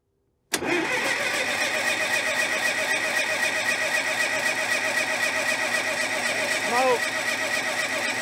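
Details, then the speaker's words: 1970s Cat D330C 4-cylinder diesel generator set, sat 10+ years, cold chilly morning start with no glow plugs and throttle applied: steady cranking, brief firing stumble that dies; owner suspects it needs more fuel up; cranks but won't start. "she tried to fire there we got i think we just need more fuel up there i don't want to run that starter for too long"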